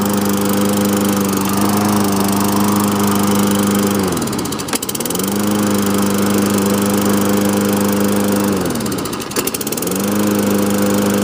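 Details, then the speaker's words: 2007 Toro mower with Tecumseh single-cylinder engine, recently got TLC, primed three times; fires first pull, runs strong and even at high speed, dipping briefly twice then recovering; drives well, healthy normal running. "Yeah, fires up 1 pull. Runs good, drives good too. It drives nice and good for driving."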